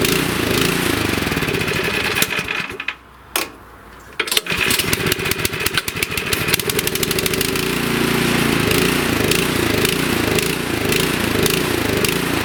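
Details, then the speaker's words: Nearly new 24-inch Troy-Bilt snowblower, sat 9 months with fuel and ran only on choke; after carb cleaning and bowl O-ring reinstall it still hunts up and down at idle. Idle surging from a lean, partly blocked idle jet. "Okay, so it runs a little better, but it still has that annoying surging, so I'll take it back in the shop and show you what to do to finally correct that."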